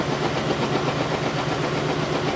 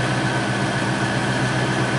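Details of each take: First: Lincoln Town Car Ford 4.6L V8 idling with an uneven, stumbling exhaust beat: misfire with no check engine light, caused by spark plug wires crossed out of firing order. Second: Ford 4.6L V8 Lincoln Town Car idling smoothly and evenly with no misfire after correcting crossed spark plug wires (wrong firing order) that caused a misfire without a check engine light.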